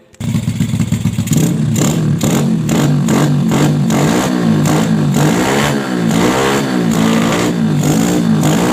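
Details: Bored-up Yamaha Jupiter Z single-cylinder with PE 26 carburettor, after widening the carb passage to cure hesitation when throttled: catches and revs cleanly up and down with no stumble; smooth throttle response.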